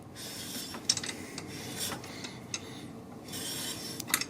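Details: BMW R1200 GS Adventure LC front wheel turned slowly by hand after the bike was dropped. Intermittent dry scraping rasps occur once per turn. The owner suspects a warped rotor and plans to replace it. Brake disc rubbing.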